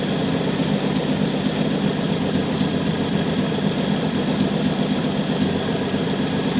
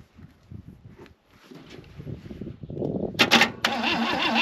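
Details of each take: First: 1966 Chevy Biscayne 4-door, straight-six with Powerglide, after sitting about 20 years; steady, even idle with a smooth low rumble, no knocks or misses. Runs good, a little smoky. Normal idle. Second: 1966 Chevy Biscayne straight-six, Powerglide, sat about 20 years; uneven starter churning with no firing, fading out. Spark is checked and there is none; a new coil is fitted afterwards. Crank, no start, no spark.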